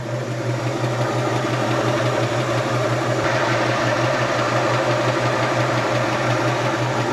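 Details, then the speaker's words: 1966 Ford Mustang with a 289 V8, with the heater on: an even, steady burble at a slightly slow idle with no knocks or misses. It sounds healthy; the seller recommends raising the idle. "Engine sounds good. The only thing I would recommend is picking up the idle, which I'll probably pick that idle up."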